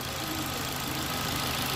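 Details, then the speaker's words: 2015 Ford Ka 1.5 Sigma, previously hard to start in the morning and low on power after a timing belt job; after cam timing checked, steady even idle, smooth low hum, no knocks or misses; now starting well in the morning. "mas até o momento aqui carrinho tá funcionando pegando bem pela manhã"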